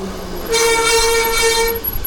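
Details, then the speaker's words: SpaceWalk M7 electric bike before the pad change: applying the disc brake makes a loud, horn-like honk for about a second from the rotor; the fix is replacing the brake pads. "You hear how that rotor is giving us the sound of a a horn. [Music] Obviously, that is absolutely no good and uh that's no fun, right?"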